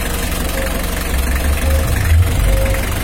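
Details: Mitsubishi L300 diesel at idle, not yet throttled, during a radiator fan and fan-clutch airflow check. Low steady clatter under a strong, even fan whoosh, no scraping or wobble. Fan airflow is already strong; healthy idle.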